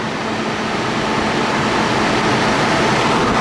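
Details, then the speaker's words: 2002 Chevrolet Trailblazer with about 200,000 miles, cold start after fan clutch work; loud, steady jet-like whooshing roar with no clicking; normal engaged fan clutch, which fades once warm. "when you start your trailblazer up it should sort of sound like a jet a little bit just like"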